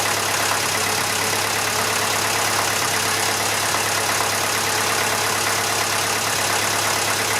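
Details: Old Massey Ferguson 35 (835) tractor, Standard 23C diesel, started after at least a year unused: steady, even idle with a smooth regular beat and no knocks or misses; slight blow-by for its age, owner suspects a hose-clamp coolant leak; normal idle.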